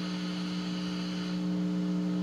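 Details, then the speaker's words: Fender Frontman 10G guitar amplifier (Indonesia-made): steady low electrical hum with nothing plugged into the input, gone when volume is turned down; hum present in bass and treble, heard on overdrive but not clean channel. "and also there's a humming sound even if the uh there's no input even if you pull this out there's still a huming sound if you turn off the volume then you cannot hear the uh humming"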